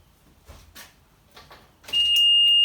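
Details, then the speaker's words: 2000 Mercury 2.5 V6 210HP Sea-Doo Speedster sport jet boat being rebuilt, no spark on cranking, key turned: steady high-pitched buzzer holding continuously; owner believes it's a low fuel alarm, unconfirmed. "And then I had an alarm after a while, just turned the key. And I looked that up and it sounds like that's just a low fuel alarm."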